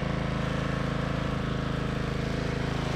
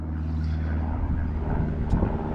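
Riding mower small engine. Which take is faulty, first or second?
second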